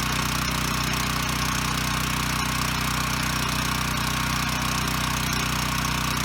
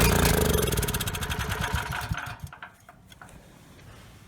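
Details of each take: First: Ryobi RY905500 5500 W generator, no load: steady even drone at constant rhythm, no surging or stumbling; runs and makes power, hertz and voltage good, one side dead pending GFI reset. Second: Ryobi RY905500 5500 W generator, choke on, a shot of starting fluid: it fires for about two seconds, then sputters and dies. Fuel starvation, main jet probably clogged; slow bowl draining also hints at the needle and seat or the fuel line.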